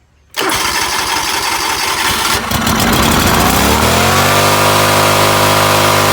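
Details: John Deere LX188 riding mower small engine running at fast, uneven, unsteady rpm; fuel present with a new fuel pump, and the faulty carburetor fuel shutoff solenoid proved to be the cause of poor running.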